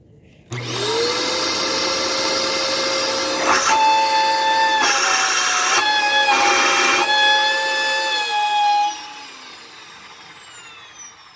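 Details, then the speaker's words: Dyson DC14 upright vacuum in bare floor mode after its cyclone assembly was cleaned. The motor spins up to a steady, piercing, strained whine until switched off; the cause has not been found yet. Vacuum motor whine. "it sounded like it was straining so i cleaned this out and then now it's doing this where it's making that noise"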